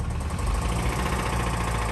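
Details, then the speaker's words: Petrol engine, 177,000 miles, found three quarts low on oil without leaks and long overdue for an oil change: heavy, rapid diesel-like clatter at idle, quieter in drive; worn, oil-starved engine knocking, judged done for (customer thought belt). "nice and quiet like but yeah this one's done for it's uh it's over seriously though it sounds like a 70s diesel"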